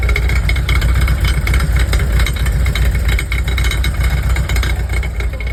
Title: Any ideas what might be causing this rattling sound? Coming from the exhaust area